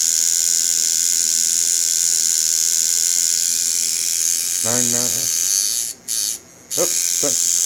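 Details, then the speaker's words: Cheap $5 kit coil tattoo machine run straight out of the box at about 4–5 volts, before tuning: a fast, harsh, high, unevenly rattling buzz from a loose contact and weak spring. "oh let's do it this does [Music] rattle itself apart"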